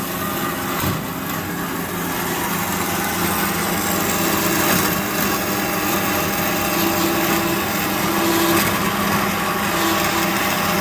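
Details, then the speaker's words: Amada H650HD band saw cutting steel after cleaning, repair and fixed hydraulic leaks; steady high whir of the blade through steel with no clatter, grinding or surging, a smooth healthy cut, though the blade has a few missing teeth that cause a lump. "Figured we'd demo it cutting steel. It'll cut steel, it'll cut wood. Cleaned up real nice."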